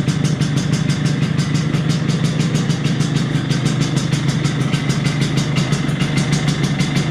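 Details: 1983 Vespa PX125E, first start after six-month full restoration: overhauled engine, new crankshaft, new 177cc cylinder kit, new bearings and clutch discs; crisp even two-stroke buzz, regular firing, no misfires, rattles or knocks; normal running.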